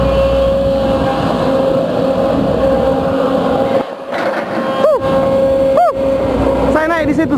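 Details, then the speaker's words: Case CX210B excavator, working, loses power after about 5–10 minutes: steady mid-pitched whine over the running machine starting around minute 5 with power loss; main hydraulic pump noise suspected, not confirmed. "Oke? Sudah mulai loyo ya? Baru 9 menit. Tadi di menit ke berapa itu? Ke 5 mungkin, Pak. Iya, di menit ke-5 sudah mulai bunyi."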